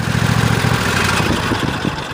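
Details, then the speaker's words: 2015-engine Cub Cadet XT1 Enduro Series lawn tractor (2016 machine, 4-5 years old) at low idle, brought up a little, then shut off: steady, even low thump, no knocks or misses, then winding down; twin engine sounds healthy. "go ahead can just show the engine that nice good low idle speed that's got it up a little bit Mack power and low speed again that sounds great good to go been shutting off"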